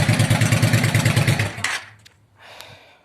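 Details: Yamaha motorcycle started after a no-key ignition fix with wires spliced to the cut ignition-barrel connector: even, steady thumping for about a second and a half, then a clean shutoff; no misses or knocks, running fine.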